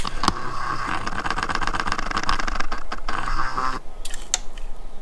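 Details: Aprilia Caponord, key-on after flooding throttle body and its motor with contact and brake cleaner for an idle fault: steady electric buzz with faint clicking for about four seconds, then stops; throttle body motor cycling, unclear if normal.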